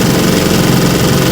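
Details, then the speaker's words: Restored 1950 Johnson TN-28 5 HP outboard on final bayou test run: busy, steady two-stroke buzz with even crackle and no misses or knocks under way; runs pretty good. "she runs pretty good let's see what she can do not bad very nice"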